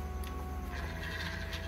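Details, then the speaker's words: Ajiking Rome LV200 fishing reel, drag tested while tightening step by step before disassembly for service: fine, even clicking with no grating or skipping over a low hum; the drag is still good. "drag masih bagus langsung aja kita mulai ke pembongkarannya"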